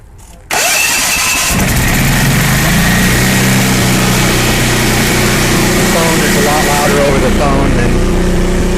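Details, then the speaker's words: Generac 8kW standby generator, first start, converted from natural gas to propane, run on manual with no load: brief crank, fires right up, steady even quiet hum, no misses or knocks, sounds good. "just the speaker on the phone. It's pretty quiet. Runs pretty smooth. That sounds pretty good."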